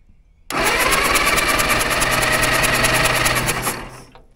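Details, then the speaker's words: Caterpillar dozer parked since 1992, engine with magneto: even steady cranking chuff about three seconds, never catches, winds down; no spark from dirty magneto breaker points. "all right so there was no spark so we have to take off the air cleaner and a bunch of other stuff to get the cover off of the Magneto"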